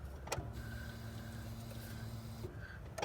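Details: 1997 Honda Civic, key cycled on after fuel filter replacement: low steady electric fuel pump hum about two seconds after the key click, then stops; fuel flowing, no leaks. Normal fuel pump priming.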